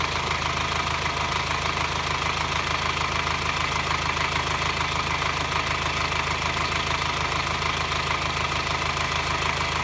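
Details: 2009 Subaru Forester diesel, clatter only when engine hot, at low rpm and during acceleration, worse in hot weather, silent cold; constant light metallic clatter over idle about two beats a second; source not found by five mechanics.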